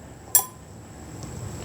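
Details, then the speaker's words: New cam compression release lever on a Briggs and Stratton 17.5 hp engine, worked by hand: a sharp metallic click as it snaps shut quickly. Spring tension is much stronger than the worn old lever, which closes slowly. "See how quick that closes? So the spring tension is a lot more on this one than the old one, guys. And springs do wear out over time."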